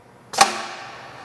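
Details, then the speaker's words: JD Squared RC6 rotary cutter, round tube stabilizer enabled for fully automatic mode via machine settings checkbox, air hose connected at rear: one sharp clack with quick hiss dying away; normal stabilizer engagement. "that's one way you know that it has been activated if it doesn't engage it just means it's in the open position"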